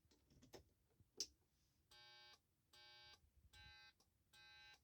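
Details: Add-on piezo buzzer for turn signals, fitted because indicator lamps are hidden behind the wheel: sharp high beeps about half a second each, repeating roughly every 0.8 seconds in a quiet cabin; turn signal buzzer sounding.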